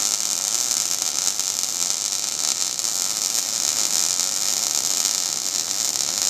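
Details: Steady, even frying hiss of a MIG (GMAW/MAG, active gas mix) arc with no popping or sputtering, running smoothly on good settings; normal arc.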